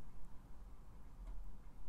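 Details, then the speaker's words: Atari SF 314/SF 354 floppy drive on a home-built USB power supply, possibly with a faulty cable: faint scattered head-stepping ticks over a quiet hum, seeking but not loading the disk. "But it sounds like it's seeking. Let's eject the disc."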